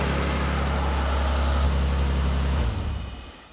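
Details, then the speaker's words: 1998 Nissan Skyline R34 GT-R first start after service work including plug replacement. Smooth, raised cold-start idle with an even deep hum and no misses before shutdown; engine running normally. "all right that's uh obviously on cold start so it's idling pretty high"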